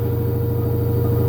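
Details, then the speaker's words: LG F-1220TD washing machine after drum rebuild with new bearings, seal and spider, spin cycle at 800 rpm, feet still need adjusting: steady motor hum, even gentle drum pulse, no rumble or grinding; healthy bearings. "і так включився режим віджиму 800 оборотів ще треба буде відрегулювати ножки і так машинка розвиває 800"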